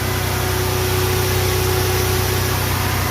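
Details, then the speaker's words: 1996 Toyota 4Runner with 3.4 V6, first start after two years parked: steady, even idle with a regular low beat and no knocks or misses. Not revved; runs smoothly. "I'm gonna go ahead and give it a little bit of gas but since it's been sitting for a while I'm gonna let it be see she's running"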